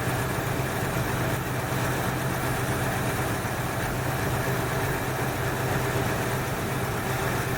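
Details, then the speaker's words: 1968 Ford Fairlane V8 after fixing a flooding carburetor, idle set slightly high; smooth even idle with steady low burble, no stumble or hunting; normal idle. "this is a whole lot better all right i'm just a pad high right about there sounds good"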